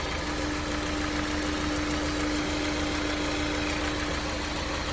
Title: S2000, maybe TCT rattle or Piston slap? Hood open